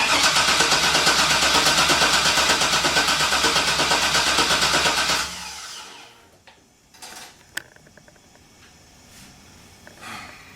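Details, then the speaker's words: 1957 Chevy with LS swap, first start attempt, fuel pump working, no leaks: starter cranks at a steady even beat for about five seconds and never catches; crank no start, no spark, cause unknown. "we have a no start condition so what's the troubles we got no spark and I ain't sure why"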